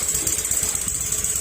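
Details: Honda Beat FI scooter at idle: rapid, regular knock that sounds like a crankshaft knock but is not the crank or camshaft.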